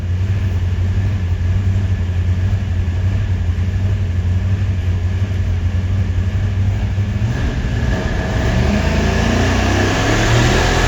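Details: Supercharged 483 big-block Chevy V8 on dyno pull: revs climb hard, then around 6,300 rpm it runs rough with irregular popping and banging; misfire.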